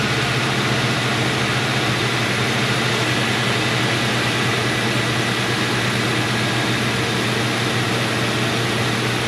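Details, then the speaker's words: 2003 Mercury Grand Marquis 4.6L V8 at idle, first start after replacing all spark plugs, the cylinder 2 ignition coil and coil boots; steady smooth idle with light intake hiss attributed to the plastic intake manifold, not a vacuum leak; no misses. "And it may sound like it has a vacuum leak. I was kind of concerned with that too. But you have to keep in mind this has a plastic intake manifold which can cause that sound."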